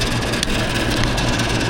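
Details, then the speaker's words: Package-unit air conditioner compressor trying to start: a heavy, steady low buzz that never runs up to speed. The compressor hums but won't start; a failed capacitor is suspected, though the compressor itself is not ruled out. "y el 20 está controlando lo que es el ponerle un poniendo sua como que quiere arrancar y no quiere arrancar el compresor"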